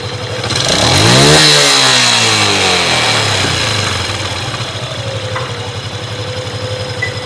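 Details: Factory-stock engine, revs rising and falling back to idle: a steady droning hum under the firing beat, thought to come from the clutch area; cause not confirmed.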